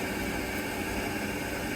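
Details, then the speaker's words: 4"x20" water filter housing refilling after a filter change, supply valve cracked open slowly: steady, even hiss of water flowing with no banging or water hammer. Normal flow. "On entend l'eau circuler."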